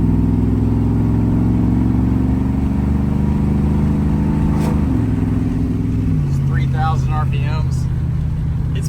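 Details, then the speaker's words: Truck with newly installed long-tube headers, at cruise: a smooth, quiet medium rumble, likely V8 around 3000 rpm, stepping down cleanly at each upshift. Normal exhaust note. "it's a pretty nice little medium Rumble like it's super quiet when we're cruising which I'm shamefully admitting it's sometimes nice"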